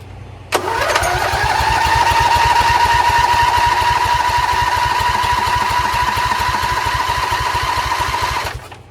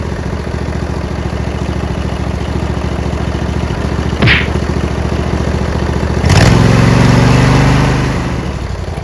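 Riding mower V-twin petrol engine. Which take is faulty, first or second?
first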